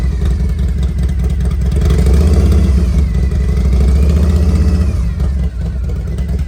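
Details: 1993 Harley-Davidson FXR-S with S&S 82ci V-twin, two-into-one exhaust, warmed up: uneven lumpy potato-beat idle, revs up cleanly and drops back smoothly; normal warm idle and revving.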